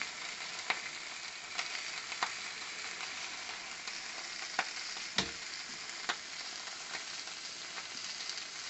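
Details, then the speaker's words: Cheddar Pintail live steam unit, first test: spring-loaded safety valve lifts and blows off at its set pressure of about 3 bar, giving a continuous hiss of escaping steam with small pops and spits; valve works correctly. "il crache son venin lorsque l'impression de services atteint on a dit trois bars"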